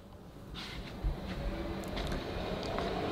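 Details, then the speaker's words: Retrofitted industrial CNC wood router with automatic tool changer, MASSO controller, powered on: steady low whooshing hum building slightly, no knocks or scraping; ten-horsepower spindle motor's cooling fan running normally, somewhat noisy. "noise is just a fan on the motor running it's a bit noisy but they have to run to keep them cool because they've as I said it's ten horsepower motor"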